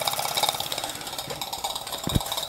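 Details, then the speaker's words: Possibly scratch-built British model steam engine, oiled and run on gas burner with hot water in boiler: light, fast, even chuff with steady ticking, no knocks or hesitation; running smoothly and very quietly. "yes there we go look at that lovely very quiet too"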